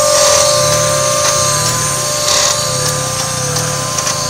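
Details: 1995 Mazda MX-3 idling: sharp click about once per second, each dropping the idle dramatically before it jumps back to about 1000 rpm, with slight rattle; owner suspects the AC.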